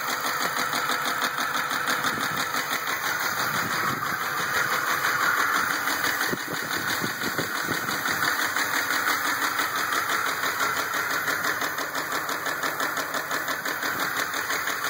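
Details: 2004 RAM 1500 V8 idling with steady, fairly regular knocking tap about three beats a second over engine hum; engine knock, cause unconfirmed.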